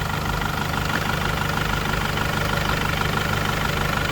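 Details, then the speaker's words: 2006 Mercedes Sprinter 413, 2.2 diesel 95 kW, 4,600 kg gross weight: soft, even diesel clatter at idle after starting, smooth with no misses, no smoke, no oil issues; healthy normal idle. "м'яко автомобіль завівся з таким пробігом не йдем про нічого немає відкриваємо не димить не копить масла немає"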